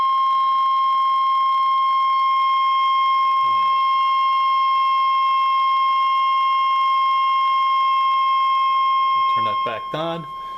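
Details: Vintage Hallicrafters S40-A HF receiver during alignment after peaking trimmer C19: steady pure tone near 1 kHz held constant, with a few brief voice bursts near the end. Clean receiver test tone.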